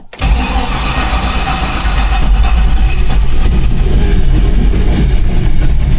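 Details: LS-swapped Chevy Blazer V8 with self-tuned ECU, at startup: cranks, catches and idles rough and loud with a raspy, puffing edge under the rumble; exhaust leak.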